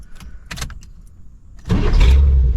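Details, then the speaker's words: 1987 GMC Suburban V8 with newly installed Evil Energy carburetor, hot restart at operating temperature: starter catches and engine fires immediately into strong, steady rumble; clean normal hot start. "Idles down nice. See how she starts at temperature. Last test and we'll wrap this video up,"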